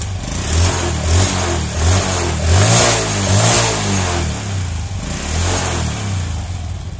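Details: Honda Revo Absolute single-cylinder motorbike after fixing lost ignition: fires cleanly, rises and falls smoothly with throttle blips, no misfires or cutting out; running healthy.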